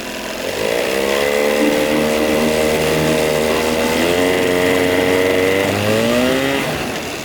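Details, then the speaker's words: 1982 Evinrude 9.9hp long shaft outboard after rebuild: revs climb, hold briefly, then sag and die under load; bogging because the high-speed carburettor jet was left out (owner first suspected clogged high-speed circuit). "Okay, looks like I spoke too soon. She's dying under load."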